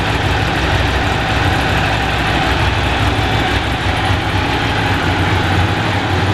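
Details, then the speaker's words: Original, unrestored motorcycle cold-started on choke/cold-start valve, alarm beeping in valet mode in background: steady, even, slightly raised fast idle pulse, no knocks or misses; healthy cold start. "we'll just start her up for you as you can probably hear the beeping in the background she's fitted with a data tool alarm which we' currently got in valet mode and obviously we've got an oldfashioned choke stroke cold start valve and off we go give that a little bit more choke"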